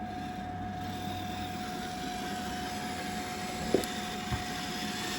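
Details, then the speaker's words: 1976 Bachmann Norfolk & Western U36B entry-level locomotive with pancake motor, running on track after cleaning and relube; faint steady motor whine with gritty, crunchy gear undertone; needs a jump start to get going; crunchy drive gear noise. "Except for that crunchy gear sound, but hey, we all started off with the beginner sets."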